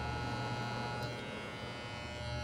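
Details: Wahl Legend hair clipper after adjustment: a steady, even low hum with a faint buzz and no rattle or chatter. The earlier noise stopped once a small loose piece was refitted, and it now runs smoothly and normally.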